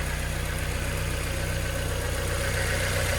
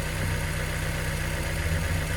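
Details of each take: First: 2000 Mazda Miata NB, 119,000 miles, fresh oil with ATS Chemical oil system treatment for top-end lifter tick: steady light tick about four per second over even idle, valvetrain/lifter noise persists, treatment apparently ineffective. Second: 2000 Mazda NB Miata, 119,000 miles, with prior lifter tick: first cold start after an oil change with ATS oil system treatment added. The idle is an even, low, steady rumble that sounds smoother, with no clear ticking.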